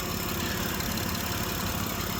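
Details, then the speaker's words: 2006 Mitsubishi Pajero 3.8 L V6 idling after fixing a P0304 single-cylinder misfire: smooth, even idle with no stumble and no check engine light; normal idle after repair. "hopefully you can hear that there's no more misfire and i'll show you there's no check engine light as well so this thing's running sweet sounds good"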